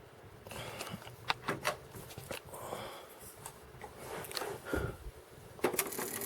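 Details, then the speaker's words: Cassette deck powers up with scattered mechanism clicks and clunks but no steady tape-drive hum. The transport isn't turning because the drive belt is gone, as the owner expected. "that belt's gone yep belt's gone I thought that would be the case"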